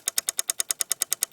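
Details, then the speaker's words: Deactivated M26 light machine gun converted to propane-oxygen gas-gun simulator, battery connected, trigger pushed: about nine sharp, even clicks per second in a quiet room from the solenoid valve cycling, showing the electronics work normally. "hear from it a clicking noise this is the solenoid valve working that demonstrates that the electronics are working"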